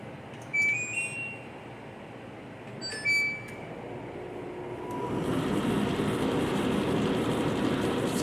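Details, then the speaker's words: Condenser dryer with a no-spin complaint, drum empty: a couple of panel beeps, then the drum rumble creeps up slowly over a second or two instead of kicking in; with a load it won't spin. Slow drum start, attributed to a weak motor capacitor. "See how it starts out real slow? [Music] Mind you, right now it's right now it's uh empty. There's nothing in it. So when it's a load in [Music] there, it's not spinning. And I can tell that just by how slow it spins when it starts."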